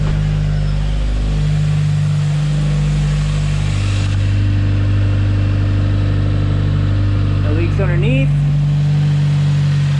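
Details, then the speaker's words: 2020 Subaru WRX 2.0 turbo (FA20F), near operating temperature, started right after an oil change to circulate oil and check for leaks: steady low even hum, no knocks or ticks; idles smoothly and healthy. "dang that sounds good but let this engine oil cycle through and then uh i'll shut it down"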